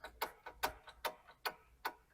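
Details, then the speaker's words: Vehicle lifted with weight off the sway bar, bar pried by hand: sharp clunks about every 0.4 seconds from a loose, worn stabilizer (sway bar) end link at the strut; noise gets louder with vehicle weight over bumps. "now keep in mind I'm simply using little Force right now now imagine the whole weight of the vehicle bouncing around as you go over bumps that sound becomes even more pronounced and more obnoxious"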